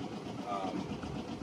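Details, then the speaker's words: 2003 Hunter 306 sailboat, 18 hp two-cylinder diesel at idle: steady, heavy clatter with a deep throb, panel vibration and cooling-water bubbling. The engine is loud, worse when cold, but runs evenly and normally. "so another thing on a diesel boat is that it probably isn't audible behind me but the bubbling in the water is the cooling system pumping out water"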